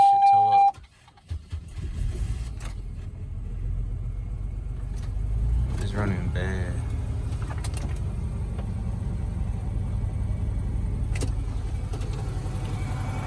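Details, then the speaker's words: Supercharged 3800 V6 in a salvage-title Chevrolet Impala SS at a Copart auction yard, cranked and started: catches and settles into an uneven, loping idle with irregular pulses; runs rough, cause not yet known. "running kind of rough but it is running"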